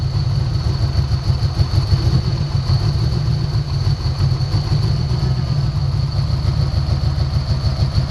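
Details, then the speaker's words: 1990 Ford Mustang 5.0 GT convertible V8, sat over 4 years with the engine apart and a new fuel pump: uneven, loping rough idle with irregular stumbles. It clears when sprayed, so the owner suspects bad injectors, a fueling problem rather than ignition. "all right the way it's clearing up when i spray it in there makes me think we've got bad injectors all right so it's not going to be ignition it's going to be some sort of a uh fueling problem"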